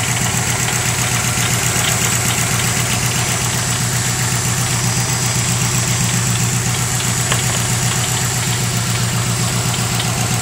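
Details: 2005 Subaru WRX at warm idle: a steady metallic rattle tapping about four times a second that first appears once the engine warms up; traced to a loose catalytic converter in the up-pipe, fixed with a catless aftermarket up-pipe.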